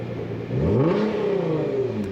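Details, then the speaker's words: MA category vehicle's exhaust, microphone set near the tailpipe, engine brought up to stabilised test speed: loud booming exhaust drone, reading 102 dB against a 95 dB limit. Exhaust excessively loud, failing the stationary noise test. "So quite often, if I actually hear that the car sounds a bit loud, I'll do a pre-test."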